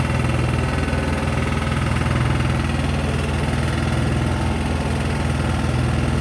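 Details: Sykes GP80 water pump, Lister TR1 diesel, cheap auction buy, first run: deep steady thump with even beat, no knock or stumble, loud with something rattling on the floor; normal idle, charging at 14 V.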